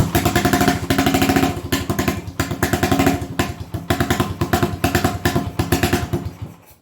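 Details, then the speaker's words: 1980 Honda XL250S single-cylinder warming up: lumpy idle with uneven, loping firing pulses that fade and die within seven seconds; rough idle and stalling, owner suspects carburettor mixture slightly too rich. "so when it's warming up now seems like it's warming up and perhaps as it warms it's a little a little too rich maybe maybe it's maybe it's not still the right mixture on the carb"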